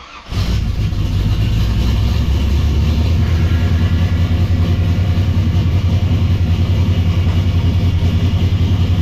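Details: V8 shop project car after tightening a very loose belt that had been making a racket: engine catches and settles into a steady, even idle with no squeal, slap or rattle; belt drive now sounds healthy.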